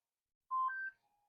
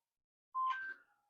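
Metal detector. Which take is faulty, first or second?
first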